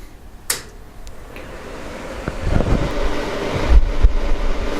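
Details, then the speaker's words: Dr Infrared DR-975 7500 W 240 V hardwired garage heater, first power-on in a cold Michigan garage around mid-30s °F, set on high: soft, steady airy fan whoosh with a few handling clicks; fan quiet, running smoothly. "Alright guys, so that's what it sounds like powered on. Fan's not too loud, and it's actually blowing a decent amount of air here."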